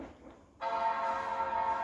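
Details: Late 2005 Power Mac G5 (2.3GHz dual-core PowerPC) restarting after installing updates to Mac OS X 10.5.8 Leopard: quiet, then a clean sustained startup chord rings out, a normal power-on chime.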